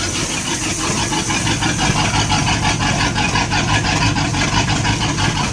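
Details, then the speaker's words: Sea Ray boat's Mercury 350 V8 with Rochester Quadrajet four-barrel, divorced choke, previously hard to start cold, primed once, first start in over two weeks: catches cold and holds a steady, lumpy but even idle with no misfire or stumble; normal cold start. "so so i fired right up which is really good"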